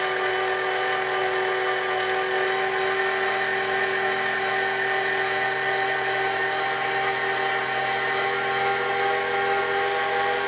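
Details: Kinetic R1 direct-drive smart trainer, unpowered, spinning: steady loud whirring flywheel hum with fixed tones, louder than comparable trainers despite quiet claims; slight vibration at lower speed.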